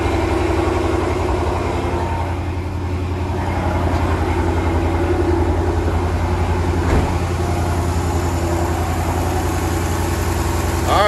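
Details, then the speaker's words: 2013 Dodge Challenger 6.4L V8 at idle: deep, slightly uneven lope with faint recurring stumble; consistent single-cylinder misfire, scan tool shows cylinder 3 misfire. "And they're saying it's got a pretty consistent misfire at idle. Oh God. Feels like a single cylinder miss. Yo, you can feel it all right. You can hear it a little too."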